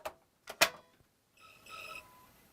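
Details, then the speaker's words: Sony-refurbished console running WWF Attitude: a couple of handling clicks, then a thin high-pitched screech for about a second as the disc spins up. The disc drive screeches abnormally even though the game loads and plays; cause uncertain. "That doesn't sound good. Oh? It's like screeching. It is actually showing up on the TV though. That can't be normal, that screeching noise."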